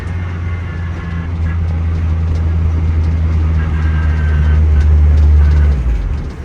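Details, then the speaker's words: Acura RSX converted to all-wheel drive with a welded diff, on a test drive in 4th gear under boost: a deep drone builds under load and hangs on as the throttle lifts; whine from the diff, and whether it is normal is unclear. "I don't know if that whine's normal coming from the diff. You can hear it when I let off."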